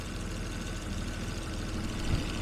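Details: Jaguar XJ6 daily driver after a new distributor, snugged cap and coolant top-up, idling about five minutes to warm up with no leaks after an earlier bad misfire: a steady, even low rumble, a normal idle.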